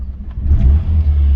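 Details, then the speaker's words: Austin/Rover Maestro Clubman, an 1980s car with a manual choke, started and then blipped. Revs rise and fall smoothly and quietly with no rattles or knocks; a very quiet, healthy little engine. "only if i blip the throttle that is a very very quiet little engine"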